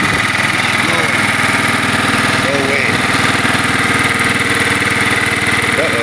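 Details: Kohler Command 12.5 OHV mower engine after replacing the ignition coil, which was blamed for stalling once warm: steady, even single-cylinder beat with no misses or knocks; runs fine and healthy.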